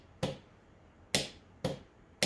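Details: Cub Cadet mower starter solenoid tested with a jumper to positive, like turning the key: four sharp crisp clicks about half a second apart, one per energizing; solenoid switching normally.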